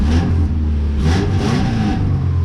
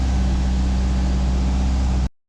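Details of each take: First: 2000 Subaru Impreza RS mid JDM 6-speed swap, started in neutral with check engine light on, transmission missing: right after catching, steady elevated hum holding high without dipping; expected high idle for a while after start. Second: 2000 Subaru Impreza RS after JDM 6-speed manual swap, started with exhaust now fixed: deep even idle, steady low rumble, no ticks or blowing leaks, quieter than before; normal idle.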